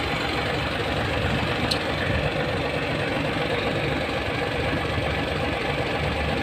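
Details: Hino 700 with E13C diesel, low power, rough idling and hard starting: idle with an uneven lumpy beat and no steady rhythm; misfire traced to malfunctioning injector #5.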